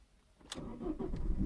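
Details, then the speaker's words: Engine start after a new battery replaced one that dropped to 4 volts on cranking: short crank catches first time and settles to a steady low idle; normal start (owner notes the turbo is a bit howly when driven). "oh nice, first time."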